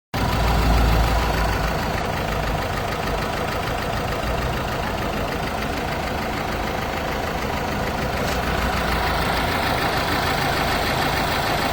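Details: Renault/Dacia 1.5 dCi diesel with Delphi high-pressure pump, idling: steady idle with a fast, somewhat uneven clatter running through it; cause unconfirmed.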